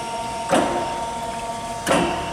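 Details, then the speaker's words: Chevalier FSG-1236AD hydraulic surface grinder on auto traverse: a steady hum with a soft whoosh and click at each table reversal, about every 1.5 seconds. The clicking is the down feed stepping; this is normal automatic feeding. "this goes back and forth when you hear that clicking that's that's the x is coming down okay"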